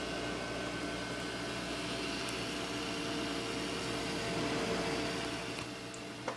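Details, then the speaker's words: Asus Essentio CM6850 Core i7 desktop at power-on, old ATI Radeon fitted, no display: even, slightly high-pitched fan rush; owner suspects motherboard after swapping graphics cards. Fans running fast. "and see nothing appears and the fans are going a little faster than"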